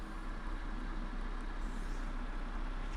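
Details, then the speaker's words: Toyota Avensis 1.8 VVT-i, previously with surging idle, after reassembly, valve clearance adjustment and replacement of a leaking intake part, on petrol, engine slightly above cold: steady, smooth, even idle with no hunting. "Nie wiem czy to słychać silnik jeszcze lekko powyżej zimnego wskazówka dźwignię ale chodzi fajnie"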